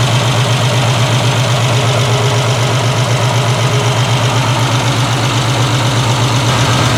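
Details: 1968 Triumph TR250 restoration, on jack stands: steady even low idle, regular beat, no knocks or misses; running smoothly.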